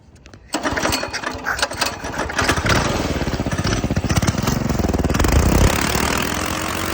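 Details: 196cc go-kart engine with a new 30mm carburetor, revved on a stand. It runs rough and very loud with irregular pops and crackles from the exhaust as revs climb, and it keeps dying, needing choke; exhaust popping, no flames seen.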